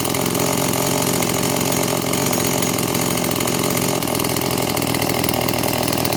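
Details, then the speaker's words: Stihl MS 180 chainsaw after rebuild with Winzor aftermarket crankshaft and parts, first start on fuel-oil mix after slight carburetor adjustment: steady buzzing two-stroke idle that holds without hunting or dying; normal idle. "Ну вот, немножко подрегулировали карбюратор, и пила работает нормально и устойчиво."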